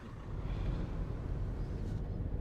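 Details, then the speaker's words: Fiat Doblo diesel (1.6 per title) on a road test with turbo boost monitored: a low, even drone as the van pulls, no whistle or hesitation. Boost reaches about 1,600 mbar against a target above 2,000, and the turbo closes to control boost. "you know when that comes lower that figure the turbo is shutting to control the boost"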